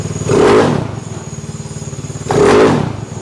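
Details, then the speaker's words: Fuel-injected engine with dry clutch at fast idle, about 2200 rpm: light, even rattle under the exhaust beat with two throttle blips; the clatter is the dry clutch, normal, no motor problem. "you're wondering why the engine sounds so clattery i know i'm going to get a bunch of comments on that that's a dry clutch so that's that noise you're hearing no motor problems that's the way it's supposed to sound"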